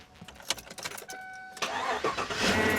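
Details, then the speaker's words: Lockthor JP400 jump starter on a Chevy full-size truck with a deliberately drained battery, 9.8 V shown after the polarity check: a brief starter whir, then the engine catches and settles to an even idle; normal cranking and a clean start. "Hey. Well, dang. That little thing packs a powerful punch."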